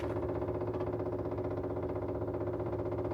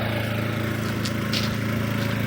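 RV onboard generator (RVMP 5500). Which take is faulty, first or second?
first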